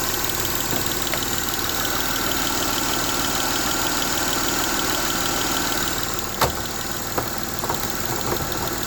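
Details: M272 engine at idle: an even idle with a light, fast tick of roughly three per second riding on top; the engine is ticking at idle and the cause is unclear.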